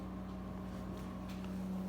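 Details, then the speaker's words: Amana refrigerator, still cooling: steady electric hum with faint pulsing drone coming through the freezer, not the compressor; fan motor sounds rough, cause suspected not confirmed. "well it has no problem cooling including the one the motor is not sounding very good when it's running"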